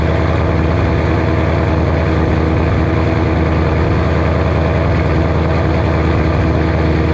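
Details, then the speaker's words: 2007 Shelby GT500, supercharged, first cold start after L&M NSR cam install: deep, even V8 rumble at a raised cold idle with no misses or knocks. Healthy start; the idle will drop as it warms. "there you have it cold star she sounds glorious [Music] she'll idle down a little lower but holy cow guys"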